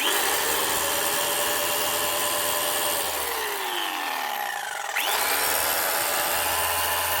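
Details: Arbortech Allsaw mortar saw after resetting the dropped drive belt and tightening the tensioner pulley: steady high-pitched buzz of blades cycling evenly, pitch dipping and recovering smoothly; cutting and running normally after repair.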